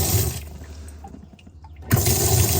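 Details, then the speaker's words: 2008 Triton 17 Explorer bass boat, livewell pump being tested: water gushes steadily, stops briefly, then surges back strong and even, so the livewell pump is working. "there we go bulge so I can hear it running that one's working"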